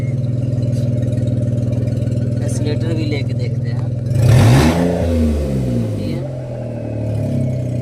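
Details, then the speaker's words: Renault Kwid, after fitting an accelerator pedal from another car in place of the faulty pedal: a steady, even idle and a clean rev blip that settles back without hunting; the rpm is now normal. "Pedal लगा दिए हैं। RPM देखिए। ये RPM अब normal हो गया है।"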